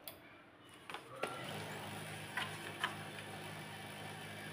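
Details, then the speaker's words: HP LaserJet P1102 printer at power-on after repair with the old gear and fuser refitted: a quiet motor hum with a few light ticks and no repeated clacking; the startup clacking fault is fixed and print quality is restored. "Bây giờ Tiến kêu êm rồi Các bạn thấy không không còn tiến kêu cạch cạch cạch cạ cạch lúc đầu nữa"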